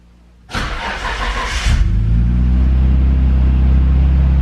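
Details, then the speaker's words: Nissan Skyline R32 GTR start-up after fuel filter replacement and repeated priming, battery recently charged: brief crank, then it fires cleanly and settles into a steady even low idle with no stumble; normal start. "started up actually pretty good very nice pretty good"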